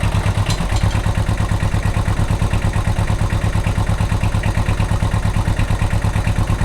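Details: Kubota L185 diesel tractor after starter repair: steady, evenly spaced diesel chuffing at constant idle with no skips or knocks, running normally.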